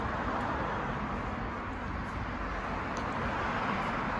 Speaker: 2016 Macan Porsche, muffler making noise. There's an actuator up here that opens this flapper door. There's a spring on the actuator that broke.